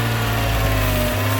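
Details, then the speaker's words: Mercedes-Benz 190E (W201), sat in a field since 2008, first start after cranking with starting fluid: steady, even idle hum with oil pressure and no ticking or knocking. Normal idle. "let go of the throttle dang it's still idling man that's awesome well there you go it did have some oil pressure awesome man that's great news I didn't hear any ticking any knocking"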